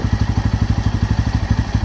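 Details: Bajaj Pulsar N160 single-cylinder idling, after full clutch plate set with hub, tensioner, chain sprocket set and spark plug replaced: idle thumping about twelve beats a second, slightly uneven; odd engine noise persists, cause unknown.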